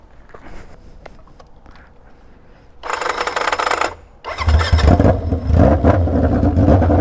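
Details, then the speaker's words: Junkyard Honda CB750F that sat for decades, first ride with battery fitted: quiet fumbling, a short blast, then a harsh, obnoxiously loud uneven roar with lumpy pulses; runs rough, cause unknown. "oh man it is obnoxiously loud that's scary she is not happy not happy at [Music] all"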